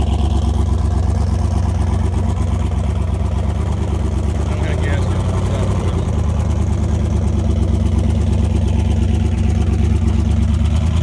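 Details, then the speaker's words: Mustang with 4.8 engine after a dyno run: loud lumpy idle with an uneven low chuff, about three beats a second, compression escaping past a blown head gasket, one cylinder dead at zero compression. "The steel piece is just pushed clean out of the head. Yeah, we got 7 cylinders."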